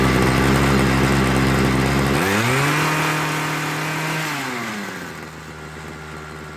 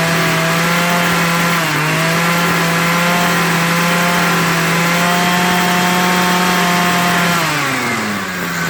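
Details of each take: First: Homelite 26 cc two-stroke hedge trimmer after carburetor and fuel line service, started on full choke to warm up before tuning: even buzz at high idle, pitch dropping smoothly and settling lower, no hunting or stumbling. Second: Homelite 26cc hedge trimmer two-stroke after carburetor and fuel line service, warmed up and being tuned. It holds a steady high buzz, then sags and surges in pitch while the needle valves are opened more. Unstable running.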